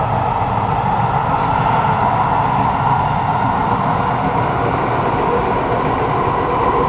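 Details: Kawasaki Nippon Sharyo C751B train 325/326, car 2326, braking into Dhoby Ghaut underground: steady heavy rumble with a droning hum near one kilohertz, the motor vibrating very loudly while decelerating; cause unconfirmed.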